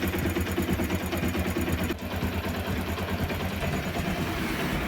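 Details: Single-cylinder motorcycle after one-way clutch (starter clutch) kit replacement to cure engine noise, flywheel cover refitted; low steady putter with even beat, no rattle or clatter at start-up; normal idle, noise fixed.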